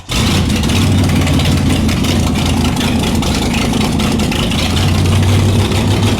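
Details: Shelby Cobra 427 V8 running in the car for the first time in nearly a decade, on open headers with no mufflers: it fires and settles into a loud, steady, deep burble, holding idle without hunting. Normal idle.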